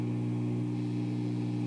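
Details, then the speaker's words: Lafayette/Univox U65RN solid-state guitar amp: steady low mains hum with a buzzy edge, louder with volume fully down and slightly quieter when turned up a touch; owner suspects grounding, possibly related to the top cover. "First of all, I'm gonna turn it on, and if I turn it all the way down, it actually has a little bit of an increase in the noise, like the hum."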